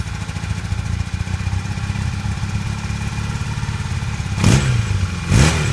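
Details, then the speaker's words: 1982 Honda CB450 twin after new petcock and airbox parts, idle set: even low idle with two quick throttle blips picking up cleanly and settling back; runs better with airbox fitted, in good shape. "Okay, it looks like we're in pretty good shape."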